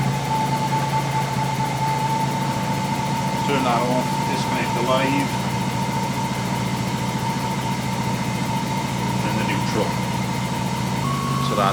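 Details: BMW E36 328i Compact just fitted with a new alternator, started using a portable jump starter: even, steady idle hum with a constant low note and no misses, knocks or whine; healthy.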